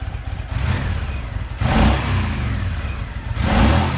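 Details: Honda VTX 1300 V-twin motorcycle from a won't-start repair: deep, lumpy idle rises twice with throttle blips and settles back; starts and revs evenly.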